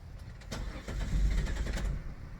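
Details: 2000 Chrysler Sebring that quit and only ran briefly on starting fluid, relay and electrics checked good. Starter cranks the engine in a quick even rhythm for a couple of seconds but it never catches; fuel filter was clogged.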